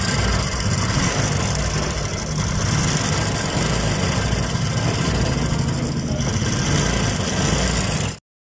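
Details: Honda XRM125 motorcycle at idle: loose, uneven clatter riding over the exhaust, not tied to a clear beat; abnormal internal engine noise.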